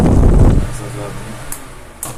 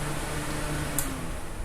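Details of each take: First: Arno Turbo fan running: steady hum with a thin, high cricket-like chirping whistle caused by loose end play in its shaft. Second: Arno Turbo fan that had a cricket-like chirp while spinning: after the repair it runs with a steady low hum, no chirping or squeaking, and just one small click partway through.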